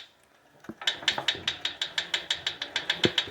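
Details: ProForm Power C7L iFit exercise bike: sharp, even ticking near the flywheel that follows pedal speed and has grown louder and more frequent over time, with worsening wheel wobble; bolts are tight and there is no visible rubbing; cause unknown.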